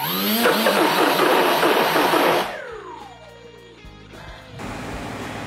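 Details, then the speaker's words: ZOHD Dart XL stock brushless motor bench-run after maiden flight: harsh gritty whir that falls away as it spins down; motor lost power and made noises, teardown points to magnets coming loose, a known early-version issue. "so the main issue i had with this motor here on the maid and as you heard i'll show you here it's just um it was making noises losing a lot of power"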